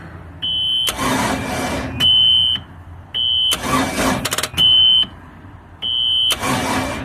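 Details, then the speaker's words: Long-sitting ski boat with a center-bolt 350 Chevy, mechanical fuel pump and water in its old, bad fuel; repeated one-second cranking bursts with a shrill beep between tries, never catching. Cranks, no start; compression test planned. "Sounds like it's about to hit fire. It might backfire. That stuff's so old and so bad."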